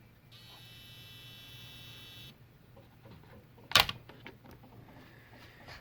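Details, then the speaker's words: Sony XBR-65X850E TV that won't turn on, power board connected with covers off: a faint high-pitched buzz for about two seconds at plug-in, then it stops; power supply overload in the transformer area. "that sound is come from the there is some overload in the transformers this one's here"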